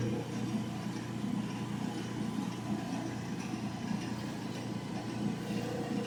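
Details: Old General Electric gas dryer after fixing its no-heat problem, now heating: steady low drum rumble and even hum with no squeal, thump or scrape; running normally.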